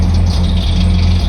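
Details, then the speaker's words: 1976 AMC Gremlin, sat 32 years in a junkyard, first revived and struggling to stay running: heavy, lumpy low rumble with loose rattly edge and uneven beat; rough running, cause not yet clear. "That sounds terrible. Oof."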